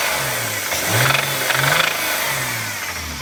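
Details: Engine revved up and dropped back, with an irregular rapping knock riding on rising revs; nothing heard at idle; source unclear.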